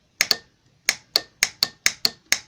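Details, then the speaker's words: 2006 Jeep Grand Cherokee Laredo 3.7L 4WD, Mercedes 722.6 transmission; the 3–4 shift solenoid removed and bench-tested on the battery: about ten crisp metallic clicks in under three seconds. It operates normally and reads 4.1 ohms on a 2.5–6.5 scale. "that there's your click circuits opening and closing complete all right 4.1 out of a two point five to six point five in the ULM scale okay another good one"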